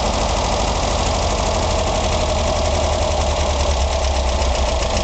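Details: Idling engine with a persistent, steady knock ticking in time with engine rotation, still present after the valves were just adjusted.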